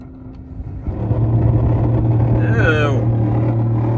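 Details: 2007 Mitsubishi Lancer heater/AC blower fan: a steady low drone and hum kicks in as the fan switches on and stays loud.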